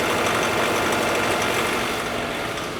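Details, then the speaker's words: 2012 Subaru Forester, warm, held steady near 1500 rpm under load with the emergency brake on; customer reports a rattle at low revs, which improves with premium fuel: fast light rattle, first suspected chain tensioner, judged to be detonation. "No eso es detonación es detonación s detonación sí"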